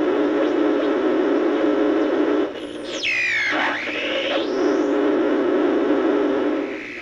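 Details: Emerson R167 tube radio, circa 1937–38, not recapped, signal tracer at the type 41 plate: loud hiss with whistles sweeping down and back up in pitch over a few seconds. Serious birdies; the cause is not yet found.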